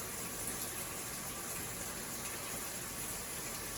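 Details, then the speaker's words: Avanti TLW 21D2P portable washer on rinse-and-spin, earlier not draining to sink: steady gushing water with even pump hum, no rattles or straining; drain pump working normally. "As you can see, as you can hear, the pump is working right now. That noise is the pump."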